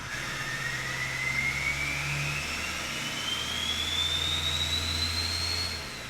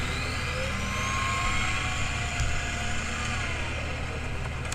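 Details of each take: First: Old Duramax diesel after a complete failure: engine revs smoothly, clean turbo whistle rising and falling, the earlier terrible whine gone; normal rev. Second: Old LBZ-or-older Duramax diesel daily driver: thin high squealing howl rising and falling with revs, metal-on-metal sound that started soft and progressed; failed dry idler pulley bearing.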